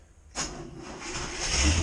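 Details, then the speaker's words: Boat's starboard engine after replacing its broken starter, on a low battery: quick crank catches at once and settles into an even, steady run with no grind or whir; starter fixed and healthy. "Yep, perfect. That one is fixed."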